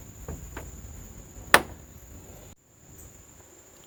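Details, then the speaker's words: Bitter SC car door swinging with light clicks, then one sharp, hollow knock from the door check (catch) as it passes a stop; likely a worn rivet hole or a mechanism loose on the door. "Something else I want to figure out is why this car or the door catch of the car is making this noise."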